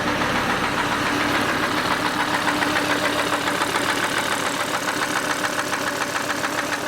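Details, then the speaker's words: Volvo C70 2.0 turbo five-cylinder, bought very cheap, idling with a sharp, regular metallic knock about three or four per second over a steady idle; internal knock, cause not investigated, replacement engine bought. "that noise it's not healthy now I could potentially try to investigate the reason why it's doing it but I bought this car really really cheap and I know the reason why it's cheap"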